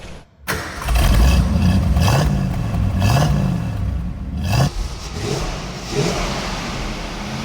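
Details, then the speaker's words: 1967 Ford Mustang V8, bought new and recently renovated, 2,800 lb: quick crank and catch, a few deep throaty blips, then even idle with no ticks or knocks; exhaust sounds tight and throaty, normal start and idle. "thing sounds real tight. Yeah. You can tell when you listen to the exhaust, that throaty sound to it."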